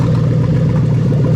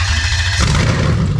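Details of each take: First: 3UZ-FE VVT-i V8 (from a 00-03 Lexus LS430) on a new ECUMaster Black standalone harness, straight exhaust, first start: engine held high with a flat, capped note that won't climb; cold-engine soft rev limiter cutting in near 4000 rpm. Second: Lexus 3UZ-FE VVT-i V8 on a new ECUMaster Black standalone harness, straight exhaust, first start: brief crank then fires straight into a deep, steady, loud burble, no misfire, warning lights out; clean normal start.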